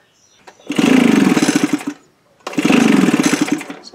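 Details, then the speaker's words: Echo leaf blower, small two-stroke, after cleaning gelled fuel with brake clean: two short bursts catch, sputter unevenly about a second and die; hard starting with fouled plug, owner suspects gummed carburetor or piston rings. "that doesn't look very good that does give me the hard start but all kinds of crap on that plug"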